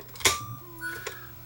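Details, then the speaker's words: Sony HDR-FX1 camcorder in forward play: a few sharp irregular ticks over a faint tape transport whir, only in forward direction; suspected broken gear or take-up hub, not confirmed. "In play, you hear it. Almost sounds like maybe a broken gear or something. You know, but it's only affecting it in the forward direction."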